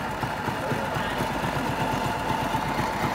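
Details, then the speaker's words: 2008 Honda RSX motorbike, all-original engine: steady, even idle thump, no cam ticking or chain rattle; engine healthy. "cho bà con nghe tiếng máy ha Nó bịch bơ xong rồi đó nha không kêu cam không Kêu Cò không xòe bến xe lồng không xòe"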